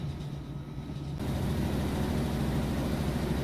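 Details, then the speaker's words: Whirlpool Cabrio top-load washer, final spin with heavy full load at top speed: smooth low drone with gentle rhythmic swish about three times a second; spinning normally and fast. "right here we go full load it's about its top speed right here pretty heavy load - I can show you once it's done but it sounds great spins really fast"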